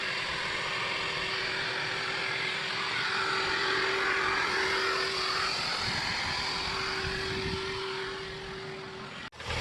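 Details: 1987 Chevy Chevette Scooter, 1.6-litre, sat nearly a decade, started on a big truck battery: steady, even engine hum under outdoor hiss, no misses or knocks for about nine seconds; smooth, healthy idle.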